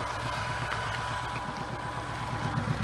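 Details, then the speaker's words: Motorcycle at idle during slow-speed practice: raw, uneven low rumble with rasp on top; exhaust baffles have no packing around them, so pipes run loud. "That's what you get when you don't have any packing. We got baffles in there. Got the baffles, just don't have any packing around the"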